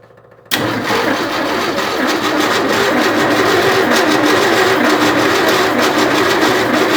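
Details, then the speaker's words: 1967 Ford F-100 240 inline-six, with a carburetor installed, distributor in, new plug wires, and an electric pump feeding from a gas can; the starter cranks, then it sputters and catches into a rough, uneven run. "We got something here. Okay, we've got action. All right, let's hit it again. See if it'll run."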